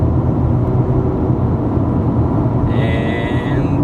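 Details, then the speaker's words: Ford Falcon XR6 at 100 km/h after wheel bearing hub replacement, stainless steel exhaust: only steady tyre and road roar, no growl or hum building with speed; wheel bearing noise gone, bearing sounds normal. "a hundred that is a smooth and you gonna remember this thing has directly ties on so they are a little bit noisy but that wheel bearing noise it's all gone"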